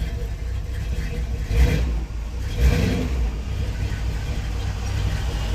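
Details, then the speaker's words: 1970 Dodge D100 pickup V8, just started after cam swap with DLC lifters, before timing set and cam break-in: deep burble with two quick throttle blips rising and falling cleanly, no miss or knock; healthy revving as lifters pump up. "It's time to start and see. Well, that's already better. I get the lifters pumped up."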